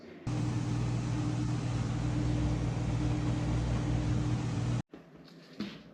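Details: Whirlpool Cabrio top-load washer on a high-speed spin test after replacing the clutch assembly: steady low hum with no squeal or grinding. It previously squealed in spin and was throwing codes.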